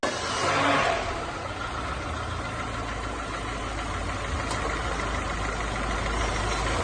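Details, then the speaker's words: Renault Duster 2.0 16v F4R engine, previously making a belt noise on cold mornings; after reassembly, steady even idle with a smooth low hum, no squeal or chirp. "Turma, barulho zero. Será que a cliente vai gostar?"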